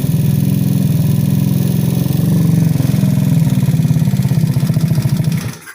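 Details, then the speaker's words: Ice Bear Mini Max 50cc Grom clone with extended frame and big bore kit, at idle: fast, even light ticking over a lumpy single-cylinder idle. Owner suspects rocker arms, unconfirmed; the noise predates the big bore kit. "But yeah, it's yeah, I gotta take care of that click, and I'm pretty sure that's the fucking the rocker arms or whatever the fuck they're called in there."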